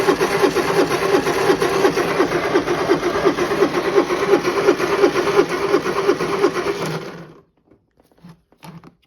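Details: Honda inverter generator bought at auction, run at full speed with auto speed control off while charging a 12.6 V battery (now 13.7 V): even, fast hum with a regular light tick, steady until shut off. Runs healthy.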